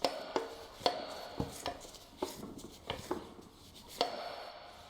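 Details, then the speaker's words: Junk demonstration engine with its rod bearing shells removed: sharp metallic clacks at an uneven pace, about one a second, from the loose connecting rod on the crank journal, showing how a rod knock sounds at idle. "That noise is a rod knob. Basically, your car will be idling. You'll hear this."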